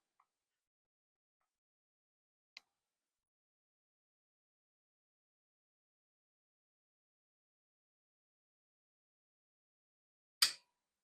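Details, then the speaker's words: Heat pump 24V control bench setup at about 27 V: near silence, then one sharp click after a short delay as the fan is switched on at the thermostat G wire. Blower relay pulling in normally; voltage drops slightly to 26.9 V. "And I want to go ahead and let you know that the moment I put the fan in the on position, you'll hear the relay click."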